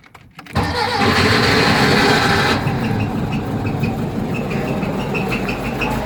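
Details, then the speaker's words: Porsche 914 Type 4 engine converted upright into a 1968 Beetle, first start after priming with the fuel pump. A brief crank, then it catches cleanly and settles into a steady, even idle with no knocks or misses. Normal start. "il court elle court elle est prête"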